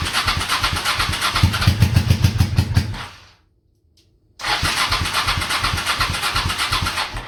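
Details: Honda Shadow V-twin motorcycle, same oil for 20k miles, parked 4 years, Seafoam in oil and intake overnight, cold morning: two cranking bursts of uneven chuffing, about three or four beats a second, never idles; hard starting, owner suspects weak fuel pump.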